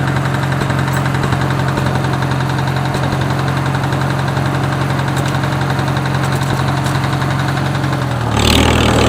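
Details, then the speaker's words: Farmall H tractor engine used for road mowing: an uneven internal knock of a few beats a second, apparently on one side of the motor, unchanged clutch in or out and deeper, thumping under load; cause suspected, not confirmed. "it sounds like it's coming from right in here more on this side of the motor and it gets to more of a deep thumping noise when you get it under load"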